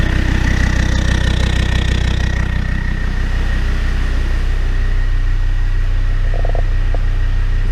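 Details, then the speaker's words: Land Rover Discovery 2 TD5 diesel after installing new in-tank fuel pump and filter, started in neutral: low steady idle with even rhythm and no fuel pump whine; nice and quiet, healthy. "she's always coming away i see and it's nice and quiet i can't hear that fuel pump wheeling away"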